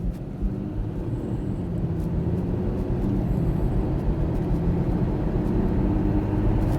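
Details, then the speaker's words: Audi A7 3.0 TDI with brand new engine and semi-new gearbox, first road test, hard acceleration: engine note climbs steadily with no hiss or escaping-air whoosh; turbo boosting normally, not pushed hard while bedding in. "yeah no turbo seems to be working well to be F again I don't want to put push it too high for a little bit um want to bed it in properly"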